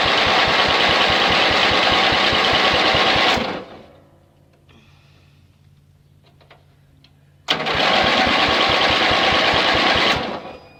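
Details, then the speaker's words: Yardman (MTD) ride-on mower after redundant wiring repair, spark now restored: two bursts of even starter cranking at about 2.5 turns per second with no firing, because the fuel tank is empty. Cranks but no start. "Nothing, because it has no fuel. Doesn't need a lot, just enough to say, hey, there's fuel in the tank."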